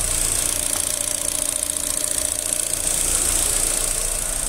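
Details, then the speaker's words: 2009 Chevrolet Astra on ethanol after replacing a faulty injector that caused knocking under acceleration and a clack on first start: even, steady idle with light regular valvetrain ticking, no knocking or stumbling; normal idle. "Aí ele tirou o bico, já equalizou, o motor ficou redondinho. Olha o barulho do motor."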